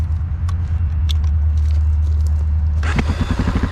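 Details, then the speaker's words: Honda XR650L single after repair of a faulty cam decompression mechanism and a badly out exhaust valve adjustment, with the factory decompression refitted: a brief crank, then it catches at once into an even thumping idle. Normal start. "No problem. Right up."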